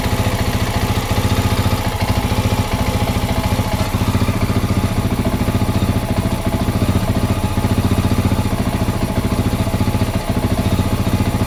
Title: XR650L rough idle with spitting stutter